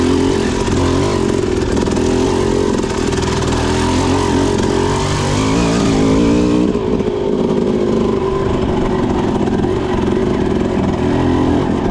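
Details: Suzuki RM250 two-stroke with a Lectron Pro series carburetor and a light 6–8 oz flywheel weight, lugged as slowly as possible in second gear: deep, even chugging with no stumble, sputter or stall. Clean fuel delivery at low speed.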